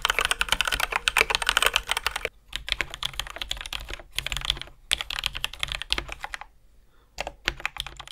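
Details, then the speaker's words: Ducky x HyperX One 2 Mini after switch modding, lubing and heavier springs. Fast, even typing with soft, mellow, dense clacks and no metallic ping; quiet, healthy keyboard. "it's much quieter and instead of having that high-pitched sharp sound it's much more mellow and dense there's no longer any metallic ping and the sound is much more self-contained"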